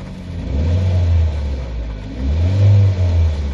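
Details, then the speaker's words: Nissan Sentra with code P0300 random misfire and a freshly rebuilt cylinder head, hot engine, heavy rain heard: revs surge and sag while the throttle is held open, falling toward a stall; a variable valve timing solenoid or chain fault is suspected. "aquí hay un problema porque no está perdiendo presión no veo que haya presión acá te tengo que mantenerlo yo acelerado para que"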